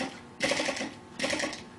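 Quick light clattering bursts that die away between, the little flame-licker faltering and slowing as its fuel runs out.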